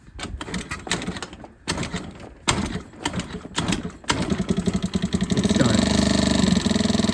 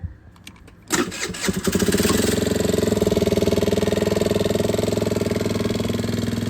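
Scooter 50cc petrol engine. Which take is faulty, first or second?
first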